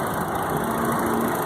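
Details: 2000 Chevrolet Astra after replacing water pump, accessory belt tensioner bearing and accessory belt for noise near the belts: steady, even idle, smooth low hum, no chirp, squeal or bearing rumble; normal idle.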